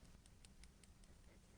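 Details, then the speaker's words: Pixel 7a phone camera moved by hand gives light crisp ticks about five a second, normal optical image stabilization rattle, not a fault. "when you hear that noise that ticking noise it means that you have Optical image stabilization and it is great the louder it is the better will be"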